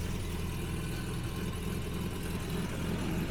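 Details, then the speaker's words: 1966 Jaguar S-Type, cold start, on choke after a little throttle: even, steady cold idle with soft choke-enrichment hiss, no misses; normal, good oil pressure, charging. "just gave it a little bit of throttle right there and it's on choke I mean this was quite cold"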